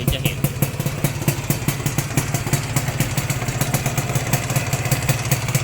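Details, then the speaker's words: 1992-registered (BE 2535) Yamaha VR two-stroke motorcycle, quiet at idle. When revved, a rapid popping with a rattly top-end edge appears. The seller is unsure whether it is the piston rings or the connecting-rod bearing, and it is being sold as is, unrepaired. "เดินเบานี่เงียบอยู่แต่พอเปิ้ลปุ๊บมันจะมีเสียงนะครับครับเสียงนี้ผมไม่แน่ใจว่าเป็นลูกแหวนหรือลูกปืนไตก้านนะครับ"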